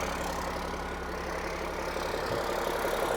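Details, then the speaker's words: Cummins-engined Land Rover 130 diesel just after start, following repair of coolant leaks into the oil galleries. Settles into an even idle with steady clatter, no knocks or misses; good oil pressure, sounds pretty healthy. "Let's give her a crank. Got good oil pressure. Still sounds pretty healthy."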